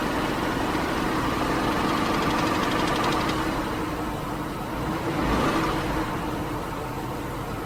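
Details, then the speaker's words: 2001 Lincoln Navigator, 5.4 Triton V8: fairly regular light ticking, about 214 a minute, over a steady idle; a top-end tap of undetermined source. "So this is my 2001 Lincoln Navigator with a tickling sound. So what the hell is this?"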